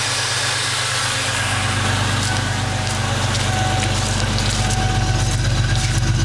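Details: Ford Mustang V8 loping idle with an uneven chuff about four times a second, stumbling irregularly; misfire caused by vacuum leak, faulty aftermarket ignition coil, wires and plugs, and shorted O2 sensors upsetting the ECU; since fixed.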